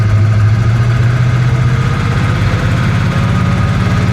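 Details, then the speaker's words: Hurricane-flooded 1966 Chevy Impala 427 V8, just restarted after starter work; deep, rough, uneven running with ragged low-end pulse, engine making horrible noises, owner feels it needs a teardown; abnormal engine noise, cause unknown. "yeah that engine's already making horrible noises"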